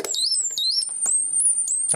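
A shrill, warbling electronic chirp that sweeps up and down in the high range, the repeller's ordinary test-mode tone.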